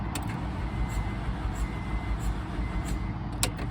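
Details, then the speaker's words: $200 Honda CR-V left sitting with seized wheels, brake cleaner sprayed in: slow uneven starter churning about 90 beats a minute, no catch, no fuel pump heard; owner suspects no spark; no-start crank, low compression. "So you can hear it sounds weird. So I'm not getting nothing at all."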